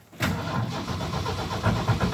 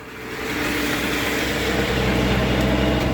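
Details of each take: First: Normal cold start in a snowstorm, no starting fluid, on a 1974 Ford F-250 Ranger SuperCab with the 4.9 straight-six and electric choke: brief crank, then it catches right away and settles into a steady, slightly lumpy fast idle. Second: 1974 Ford F-250 Ranger SuperCab, 4.9 straight six, snowstorm cold start without starting fluid: steady, slightly lumpy fast idle on the electric choke's high idle, running rich; owner wonders if it is leaking a little.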